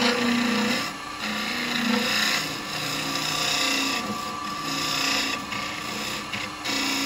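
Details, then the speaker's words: Woodturning an 8-inch sycamore vase with a carbide deep hollowing tool: a steady scraping cut with an intermittent buzzing hum. This is chatter vibration, not catching, caused by too much tool overhang; pressing weight down on the tool reduces it. "And the thing we're trying to stop here is the there's no catching, there's no grabbing, it's just the vibration. You can hear it now and again. It's because I've got that much of the tool overhanging"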